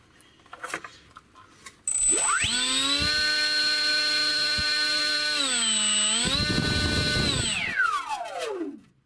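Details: Hobbyking Bixler RC plane electric motor after reversing phases because it spun the wrong way, possibly non-original prop: clean whine climbs smoothly, holds, dips briefly, winds down evenly; motor and prop run sweetly.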